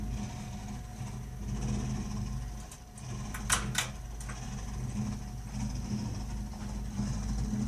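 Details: Burnham Alpine ALP150W gas-fired boiler, 3 years old, frequently makes this noise while firing: low, uneven rumble with a faint steady hum and occasional sharp clicks. Abnormal rumbling, cause unknown.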